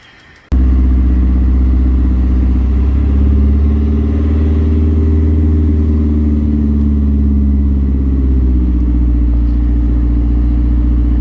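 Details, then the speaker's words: Mazdaspeed 3 turbo four-cylinder, first start after head gasket replacement with Cometic gasket and ARP head studs, warning lights on: catches and settles into a steady, even idle, smooth low drone, no knocks, ticks or misses; normal idle. "um medic head gasket airfie studs installed the run a lot better i mean but we got about 20 pounds of boost coming out of this thing"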